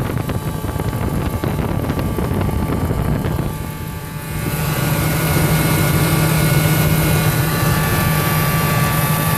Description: Ford F-150 Supercrew 2001, with 102k miles, second owner, 5.4L engine gas, 4 x 4, I need help finding out where that noise is coming from I tried everything from forums and can't find the source,